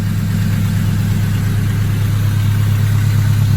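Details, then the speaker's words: Engine after reassembly: smooth, even low idle with a steady beat and no knocks or misses. No check engine lights and oil pressure is good; running cleanly. "I'm just giving you an idea on how well it's running. Beautiful. Perfect."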